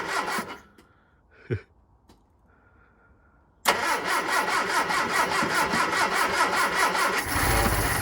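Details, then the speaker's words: Hillman Super Minx after carburettor rebuild and refit, choke pulled: starter churns evenly about two and a half turns a second for several seconds before firing, refilling empty float bowls with fuel. "got a lot of cranking to do get the fuel back up to the carb again as well fill all the bowls"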